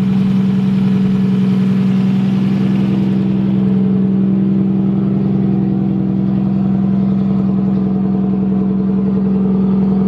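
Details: Nissan S13 engine at start-up, intake air temp reading 20°C: strong, steady low drone with an even firing beat, no ticking or hiss. Vacuum seems good, it is warm enough, and the idle is clean and settled.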